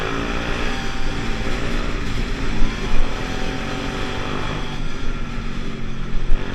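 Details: Pulse Force 50cc two-stroke scooter road test after fuel-starvation fix, GoPro on bike, 14-stone rider, about 37 mph. Revs up steadily, crisp even note without hesitation, some wind noise; normal running under load.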